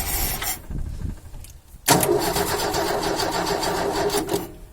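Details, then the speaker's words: 1972 Ford Falcon XY 4x4 ute cranking in bursts, catching briefly then stumbling and dying; owner suspects not enough fuel, not hearing bubbles; cranks but will not start. "well sounds like not enough fuel not hearing bubbles"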